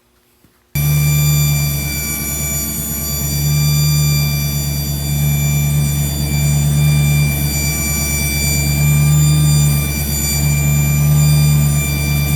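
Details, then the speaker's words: Engine with mic held by a hose near the distributor: steady high whine over the low engine drone, located around the distributor; owner first feared transmission pump. "well the the wine definitely sounds like it's coming from right around the distributor"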